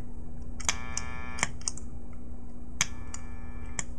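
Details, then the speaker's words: Bomes Electric Bat Overdrive/Boost pedal with its click-mute circuit programmed off. Sharp clicks sound each time the pedal switches between bypass and on, over a steady amp hum. The clicking is annoying through a delay pedal. "as you can hear it's not really that bad of a click so but it is annoying like if you have a delay behind your delay on the end of your like your pedals and stuff like that then you hear like this click click click click that Fades off"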